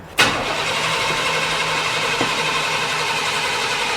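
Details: 1997 Chevrolet 1500, 5.0 L V8 that died while driving, cranked with a charger connected and brake cleaner sprayed into the intake: the starter spins at a steady, even pace but it never fires; crank-no-start from a failed fuel pump with no fuel pressure.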